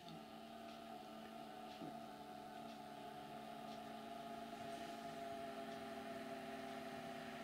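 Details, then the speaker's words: Hornby model railway drive car after repositioning the drive shaft in the chassis: quiet steady motor hum with even pitch and no clicking; running smoothly, fixed. "can hear is the motor turning no clickety click perfect"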